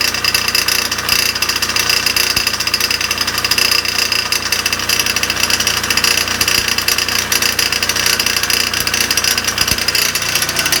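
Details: Dental air compressor in a basement utility room, heard when it kicked on during inspection: harsh, buzzy metallic clatter over the running motor with sharp irregular knocks every few seconds; really terrible noise, needs inspection.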